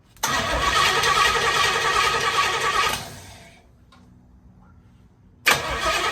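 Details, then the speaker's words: 1968 Pontiac Firebird, brought back after sitting for years, cranks steadily with no catch, pauses, then cranks again; owner suspects it is flooded and is still adjusting ignition timing. "try [Music] okay got nothing fiddle sticks I bet I flooded it so I flooded it"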